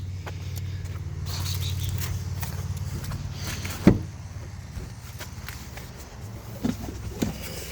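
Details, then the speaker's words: 2012 Ford F-150 sat dead for years, jump-started with a Lectron jump starter on the third attempt; deep rumble catches and settles into a steady run, revs dropping back smooth and even: normal start. "Yeah, we got it. That's pretty cool."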